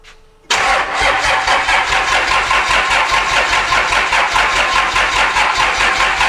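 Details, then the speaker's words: 1000hp Cummins diesel burnout truck after a rebuild, test run with the injectors unplugged: steady rhythmic cranking at about 2.5 beats per second with no firing, as expected without injection; normal cranking. "We got the injectors on unplugged to make sure everything's kind of rotating as it should."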